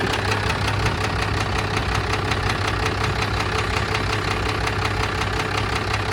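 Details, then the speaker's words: Cummins 12-valve diesel, started on a battery charger before teardown; steady idle with a hard, regular knock about three times per second over the clatter; source undetermined. "I've got it on the charger and I'm going to start it up for you guys so you can hear the knock and see what we are dealing with here"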